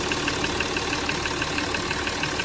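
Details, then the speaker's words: Jaguar XF diesel after engine misfire (P0301) and oil leak repair with valve cover gasket replaced, after a 20–25 km test drive: even diesel clatter at a steady rate, no knocking or stumble; normal smooth idle. "जरा भी knocking नहीं। Sound भी इसका सुन सकते हैं आप लोग। Sound एकदम ही स्मूथ है।"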